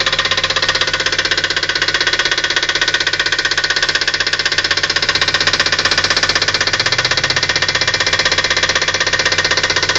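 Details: Petrol engine idling just after startup with a steady, sharp knock repeating about four times a second; engine knock at idle.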